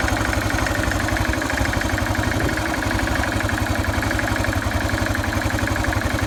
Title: XT 600 43f Motorgeräusche kalt